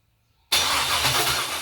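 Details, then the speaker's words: Junkyard LS 5.3 V8 on an engine stand, first fire: silence, then a sharp pop into a rough, ragged roar and a second bang; backfiring from running rich with fuel-soaked cylinders. "Heart's racing. Alright. Woo! Backfire."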